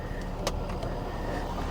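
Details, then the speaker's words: Chevy SSR bought as having internal engine noise, after fresh power steering fluid: smooth idle with a steady thin whine from the power steering pump, worse with a little throttle; fluid low at the add mark when running, air in the system suspected. "it sounds good but it definitely is whining"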